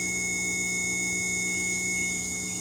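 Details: Bare Viair 480C compressor motor during a rebuild after 2 years of use, run from a jump start pack and held down by hand: steady, even high-pitched whine at constant speed, no knocks, scrapes or stumbles; the motor sounds good.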